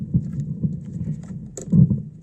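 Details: Thunder THC-SUB101 active subwoofer with irregular dull low thumps even at zero volume, starting after 10–30 minutes of running; new op-amps did not help: speaker popping.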